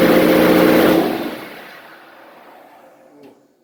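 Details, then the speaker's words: Junk diesel truck started through a jumper wire to the fuse panel stud, which also runs the fuel pump, for its first start in about a year. It catches and holds a loud, fairly steady run for about a second. It runs after long storage. "But she runs. This is the first time she's been started in like a year. So she runs."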